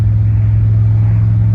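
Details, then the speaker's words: 1989 Chevy Silverado towing a 1951 Ford pickup uphill, pedal floored while other traffic passes; deep heavy drone held flat with no rise in revs, lugging with power loss, cause unconfirmed. "I know you don't like the hills. I don't like them either."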